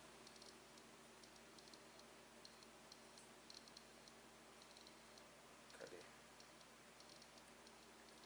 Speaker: vamos botar aqui para 200 volts Ok então ó e continua fazendo barulho